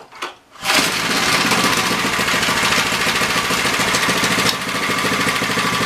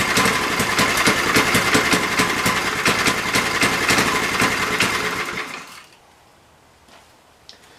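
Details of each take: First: MTD edger with 3 hp Briggs & Stratton engine, after fresh oil and throttle spring bent for tension: fires after a quiet pull, runs at a steady buzzy fast rattle without stalling; running properly. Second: MTD edger with a hot Briggs & Stratton engine: it buzzes at full throttle but never climbs past a slow, lazy speed before cutting out. The throttle spring lacks tension and gets bent back.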